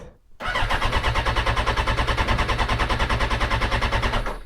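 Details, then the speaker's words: Hulk FI motorcycle that ran fine the day before, fully charged battery, fuel pump whirs while cranking: strong, regular starter churn about three pulses a second for four seconds, no firing at all; crank, no start, cause unknown. "it just won't start so the batter's fully charged that's the first thing"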